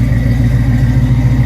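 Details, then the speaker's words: Flood-damaged 1979 Chevrolet Camaro Z28 V8, exhaust dried out, run a minute or two before oil change: deep steady idle with even unbroken exhaust pulse, no misses or knocks; normal idle. "Looks like the exhaust has dried out. I'm going to let it run just for a minute or two."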